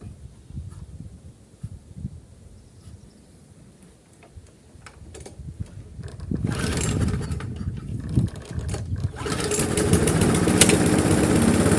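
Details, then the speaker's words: Briggs & Stratton Classic engine on a GGP (ex-Castelgarden) mower, previously kept stalling, after carburetor work: faint clicking while priming, then fires and runs steady but stays slow, never revs up; governor springs found slack. "Notre moteur fonctionne, il cale plus, par contre il ne prend pas du tout de tour. Et là, quand je vois ça là, quand je vois les ressorts qui sont tout détendus là"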